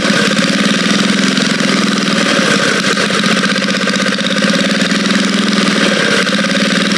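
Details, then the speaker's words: Vintage Cat Duster minibike small single engine running at a steady fast beat, even firing with no knock or misfire and no smoke; the motor sounds good: normal running. "Don't even smoke or nothing. Man, motor sounds good."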